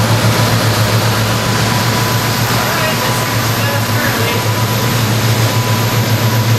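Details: New Edge V6 Ford Mustang swapped to Ford Performance Coyote Aluminator V8 crate motor with Cobra Jet intake, on the dyno before tuning: loud, deep, steady burble with even lope, no knocks or ticks; healthy idle.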